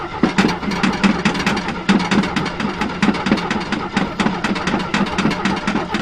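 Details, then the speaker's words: Jeep CJ7 4.2L straight-six with Weber carburetor, sat about a month, new battery fitted: starter cranks in even pulses about five a second without catching; hard starting because fuel evaporates and the float bowl empties while sitting. "this is what i get with a weber carburetor when it sits i can pump the hell out of it it's been about maybe a month"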